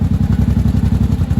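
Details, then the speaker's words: 1983 Honda Shadow VT750C V-twin, warm, fan on, idle set a little low below about 1000 rpm: steady loping idle, about seven even thumps a second with no misses or clatter; normal healthy idle. "I like your sounding healthy when you come to a stop right about there I like that"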